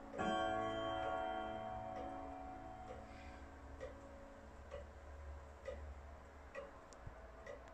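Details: Freshly overhauled Hermle German pendulum clock movement with three springs, Westminster chime and a long 85 cm pendulum: a soft, steady tick at about two beats per second with a faint ringing decay, even and unhurried, healthy normal ticking.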